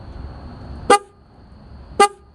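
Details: 1996 Ford Bronco horn after repairing three pulled-out horn wires: two short, clear honks, each a steady bright tone; normal horn operation.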